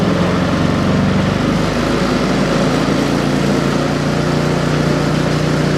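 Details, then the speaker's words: Ariens 30 EFI snow blower, regular unleaded with Sea Foam, after sitting nearly five months: started first pull on idle; steady, even low idle with smooth beat, no misses, knocks or hunting. Normal idle. "If you notice, I started that on idle and started right off first pull."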